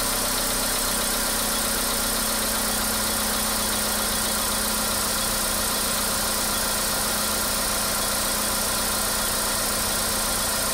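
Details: Idling engine, caption mentions low fuel: steady idle with an uneven light tapping of a few knocks per second over it; internal knock, cause suspected but not confirmed.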